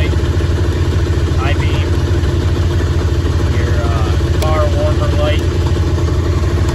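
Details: 1997 Ski-Doo Mach 1 700 triple two-stroke snowmobile, about 3,414 original miles, just bought: even steady low burble at idle with no misses or surging; idle really good. Normal idle.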